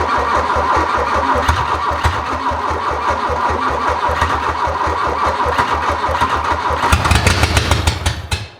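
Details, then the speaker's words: 1981 VW Rabbit that sat over 20 years, cranked with brake cleaner sprayed in the intake: rapid even cranking, then it fires briefly and dies. It does not seem to be drawing fuel; the owner suspects clogged lines and a dead fuel pump. "it wants to run doesn't it it wants to it just can't quite get there"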